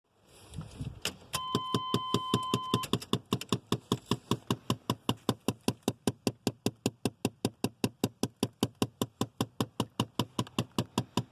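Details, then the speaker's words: 1988–94 Chevy/GMC truck, steady sharp clicking under the dash under two a second; failing air recirculation/vent door actuator, to be replaced. "same on 88 to 94 GM trucks that's air recirculator or vent actuator so we're going to go ahead and replace that"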